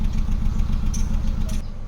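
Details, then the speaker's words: 2012 Kia Rio automatic at idle, listening at the exhaust: rough, uneven idle with irregular pops and stumbles, check engine light on, RPM needle fluctuating; engine misfire with exhaust popping, ECU problem suspected, not confirmed. "Iwan ko kung narinig nyo ba yung nagpalak-palak dito sa tambutso."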